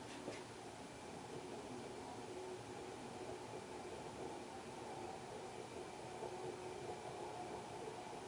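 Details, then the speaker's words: 1991 HRS L-356 industrial ceiling fan with cast-iron motor, recently oiled, at medium-low speed: a steady rumbling whir with a faint thin hum. Dry or worn fan motor bearing. "Alright, we'll bump it up to medium-low. Start to hear the bearing noise now."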